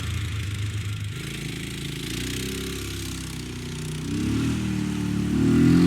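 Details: Polaris Ranger 500 4x4 after top-end rebuild and new carburetor needle valve, no coolant: small single thumps steadily, picks up pulling away and revving higher; even, healthy running on first yard drive.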